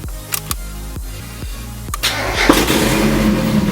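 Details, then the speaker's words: First startup of a freshly swapped 1.6 engine in a Miata with new stage 3 clutch, no coolant in the radiator, brief run only: steady starter cranking about four pulses a second, catches cleanly, settles to an even idle; healthy start. "No water in the radiator or anything, so we're just going to try and start it up a little bit and then turn it right off. So this is the first startup."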